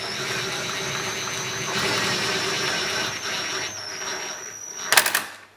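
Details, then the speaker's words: Old CNC router after bearing dust-collar fitted: steady whine with high squeal as carriage is driven, strain building toward end of travel, then sharp clack as it binds; owner suspects hand-drilled, unevenly spaced mounting holes misaligning the lead screw. "it binds uh and let's just put it back the other way"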